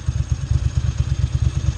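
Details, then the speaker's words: Bimota Mantra (Flying Banana) twin, just revived and on the same carburetor setup as a Ducati 900: uneven, loping big-twin thump at 900–1000 RPM with no knocks or misses; normal idle. "Kind of a lopey idle, that's good. There it is at 900 to 1000 RPM, just perfect."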